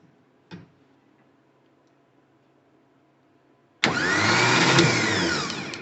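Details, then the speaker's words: 1982 air-cooled VW Vanagon Westfalia, engine just reinstalled, starter tested by jumping terminals: after a quiet lead-in it whirs into a strong, steady, even spin with no grinding; starter and Bendix work fine. "so you just cross those over and it should spin well well yeah that sounds okay"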